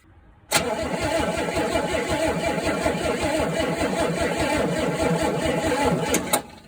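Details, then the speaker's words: 1964 Pontiac Tempest not started in 3 years, cranking on a weakening battery after the points were sanded. Starter turns at a steady beat of about five turns a second without catching. Crank-no-start from a lazy, weak ignition spark. "All right, so what I thought I saw that time was a little bit of a lazy spark."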